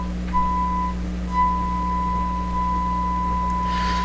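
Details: Sparton 1567 tube radio, shortwave 2–6 MHz band, signal generator input, tuning capacitor about two-thirds closed: clean, steady mid-pitched test tone through the speaker over a low hum; band receiving properly.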